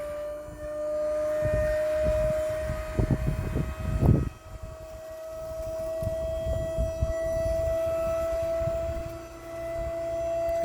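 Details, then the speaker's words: 2012 2500 HD three-quarter-ton truck converted to a dump bed: steady, even hydraulic pump whine holding pitch while the bed lifts, with plenty of fluid and no gurgling or cavitation; the power pack runs normally. "got lots of fluid now. It's not gurging gurgling or anything."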